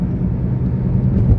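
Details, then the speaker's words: Car at 70 with a used wheel bearing recently fitted: steady low drone under road rumble, louder when lifting off the accelerator and rising with speed, no vibration; worn wheel bearing. "तो यह wheel bearing की आवाज"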